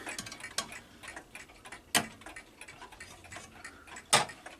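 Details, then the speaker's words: Kieninger Bim Bam mantel clock still working fine: light, crisp ticks at a steady beat in a quiet room, nothing dragging or skipping; movement sounds healthy. "Here's my Keininger Bim Bam mantle clock. Still here. Still working fine."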